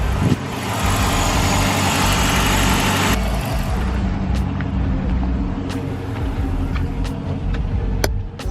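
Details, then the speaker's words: Chrysler/Dodge Hemi V8 idling after alternator replacement, charging at 13.9–14 V (was 11.9 V): steady low rumble, no whine or grinding; the charging system sounds healthy. "so there you have it looks good sounds good nothing rattling around nothing getting in way of anything it's not whining not grinding"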